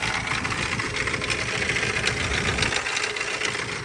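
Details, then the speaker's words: Auction Isuzu 4H1 four-cylinder fully mechanical diesel, believed 1999–2004 type, leaking oil. At idle there is a loose, uneven rattling knock three to four times a second; the owner suspects an accessory and plans to remove the belts. "almost wonder it's one of the accessories I'm going to cut the belts off and we're going to see if it keep making it"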